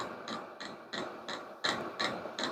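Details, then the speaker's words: Vevor diesel heater running, setting (gear/level) being turned down: sharp evenly spaced light clicks, about three a second, as the dosing pump audibly slows; normal operation with outlet air still over 200°. "you did you audibly hear that slowing down fuel pump slowing down lower slowing down"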